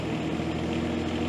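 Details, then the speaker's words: John Deere 17G mini excavator diesel, throttled up just after a fuel filter and water separator change: slightly uneven, wavering drone as remaining air purges from the fuel lines; rough running from air in the fuel. "You can kind of hear it running a little bit rough, getting the rest of the air out of it."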